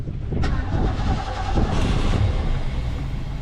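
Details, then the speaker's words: 1988 Ski Supreme boat engine, hot restart after 8-9 minutes sitting at the dock following laps: cranking drone with a few stumbling pops but won't catch. "Oh, she wanted it. Let's give her a little gas. Ooh, I didn't want it that time."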